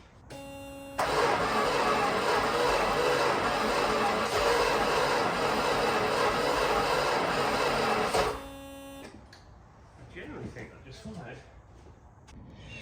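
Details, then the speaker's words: Jensen Interceptor V8 in a Land Rover, barn-stored since the late 90s, brake cleaner sprayed into the carb: about seven seconds of even starter cranking without catching. Leads thought worn. "going to spray a little bit of brake cleaner into the carb there and crank it over and we'll see if we have a fire"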